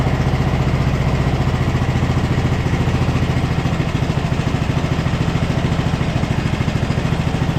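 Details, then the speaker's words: 2014 Ariens (Husqvarna) 42-inch riding mower, single-cylinder engine running after a third flywheel was fitted and fuel was added down the throat. A steady, even thump at a settled idle with no misses or knocks; smooth normal idle. "wow that is running incredibly smooth H success finally"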